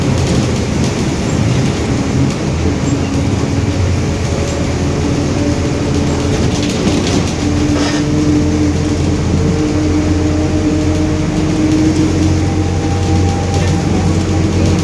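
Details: 2021 Marcopolo Torino S bus on Mercedes-Benz OF-1721 BlueTec 5 chassis, moving: steady drone with faint rising and falling tones over road and cabin noise; rear differential roaring.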